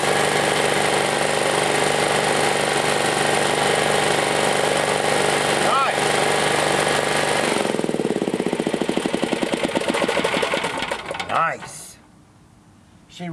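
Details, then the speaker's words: Chinese Honda-clone generator recovered from a field, repaired and started: steady, even single-cylinder drone for about seven seconds, then slowing into separate thumps as it shuts down; doesn't smoke, good power; normal running. "Wow she runs all right guys worth it very worth it yeah nice puts up good powered motor doesn't smoke nice"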